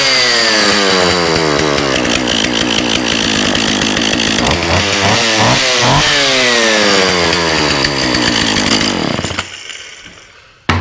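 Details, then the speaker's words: Husqvarna 36 chainsaw, after fixing leaking fuel line, gummed carburetor and detached fuel pickup: high, crisp buzz that revs and settles evenly with a sharp pop, then shuts off cleanly. Good compression, no tune needed. "Love the sound of some of these old Huskys. They're great. They just, you know, they got a great little sound. It's got a good little pop to it."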